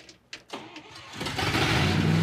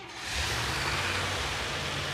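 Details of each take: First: 1966 Dodge D100 pickup, running on gasoline after a water problem was solved; carburetor cleaning is suggested. It catches and settles into a fast idle with a steady puffing tick, about four a second, over the rumble: an exhaust leak. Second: Pickup truck carbureted engine started with working choke, old rusty mufflers: catches quickly and settles into smooth, deep, quiet rumble with no exhaust puffing or ticking; normal start and run.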